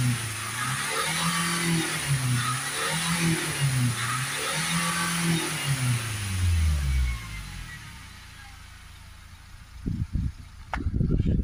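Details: Renault Espace 2.0 dCi diesel with a badly blocked DPF (about 500 mbar at idle, 1999 mbar maxed near 3000 rpm). After DPF cleaning fluid goes in, revs rise in surges and sags under hard throttle. The engine stutters and struggles to rev while clearing out.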